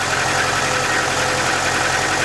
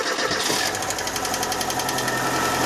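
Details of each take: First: 1.6 injector petrol engine with hydraulic lifters idling steadily and evenly after repair, no valve-train ticking; previously lifters knocked even when warm, now only briefly at cold start after sitting. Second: 1.6 injector 8-valve engine, cold start after sitting a day: strong fast hydraulic lifter ticking for the first seconds, easing off within a few crankshaft turns as oil fills the lifters, then running smoothly.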